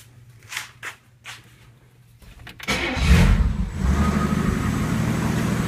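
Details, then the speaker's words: 1963 Pontiac Acadian, freshly timed, with about 30 psi oil pressure: brief cranking, then a steady, even idle with no pinging, smoke or dieseling. A clogged air cleaner had caused earlier running trouble. "me perfect no goofy smoke no dieseling no pinging has as much power as this engine will ever have"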